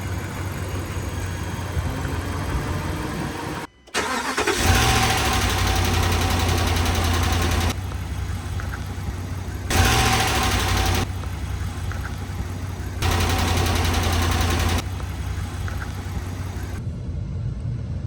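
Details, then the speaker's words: 2013 RAM 1500 5.7 HEMI V8 idling with brief revs and no ticking or knocking after the pushrods and rocker arms were replaced. The earlier tick came from a previous owner's improper installation of the pushrods and rocker shafts. "Oh yeah, that sounds a lot better. Alright guys, it sounds good now. Here it is, guys. It's all cleaned up, and as you can see, it's running good."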